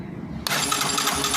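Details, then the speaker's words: Yamaha YBR motorcycle after bendix replacement, flywheel refitted: engine catches into a harsh metallic rasping scrape over the running note; bent crankshaft lets the flywheel rub the stator, engine to be dismantled. "mas o pessoal percebi uma coisa aqui pessoal a manivela ela tá empenada nessa moto eu vou estar ligando aqui para mostrar para vocês aqui a situação"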